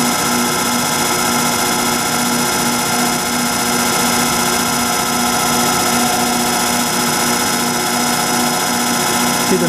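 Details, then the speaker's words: Rotary phase converter (240 V three-phase) starting to power an antique Allis-Chalmers 10 HP motor: steady electrical hum with a rough, gritty whir and high whine on top, from the converter's badly worn bearings. "And the converter is my really sick one that I've been talking about, how sad it is with the bad bearings. So you're gonna have to hear that noise."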